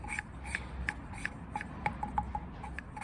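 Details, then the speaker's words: Valve being lapped into a cylinder head with fine paste after coarse, rocked on a suction stick under light pressure. Steady rasping at about three strokes a second is a lighter, even polishing cut; the light ticks are a ring tapping the stick. "you can still hear the grinding paste doing its job,"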